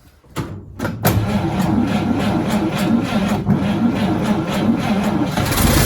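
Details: 1953 Chevy shop truck sitting 40 years, old gas tank removed, started via foot pedal starter: brief crank, catches within a second, settles into steady even idle with no misses or knocks; normal idle.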